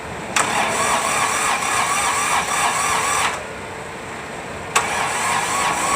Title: Hard starting D905 ASTE A155 prepare for recon.